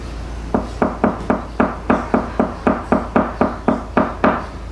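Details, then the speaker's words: Hammer tap test on a catamaran's cored fiberglass hull, tapping low then higher where the laminate should have a firm core: crisp, even, solid thuds about four per second with no hollow ring, meaning healthy, well-bonded fiberglass. "a solid constant thud usually means the fiberglass is healthy and well bonded to give you an example this is what healthy fiberglass sounds like on a B3 series 11 45 down here and then up"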